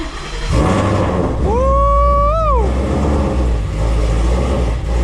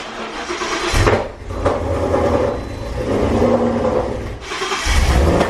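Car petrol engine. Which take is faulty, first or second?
second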